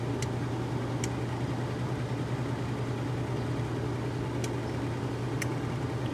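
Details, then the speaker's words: One of two Maytag washers (1989 A482 or 1978 A408S) on a Warm/Cold regular 8-minute wash: a steady low motor hum with loud, sharp timer clicks a second or more apart; normal timer operation. "timer on this one is so loud they all are but it's kind of funny"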